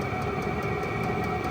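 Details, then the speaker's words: VEVOR 8kW all-in-one diesel air heater, new unit running on high while still warming up, used in Alaska. Steady roaring hum with constant combustion rumble and no surging or popping. Puts lots of heat out of the exhaust; burning evenly and running normally. "so right now it's actually running on high these things put out a lot of heat out of the exhaust"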